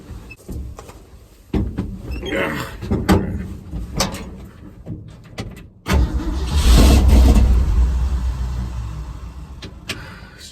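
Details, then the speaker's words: Project truck after timing and carburetor work, cold outside: starter churns steadily about three beats a second with a louder surge but engine does not catch; owner thinks fuel is starting to reach it. "well at least it sounds like gas is starting to get there"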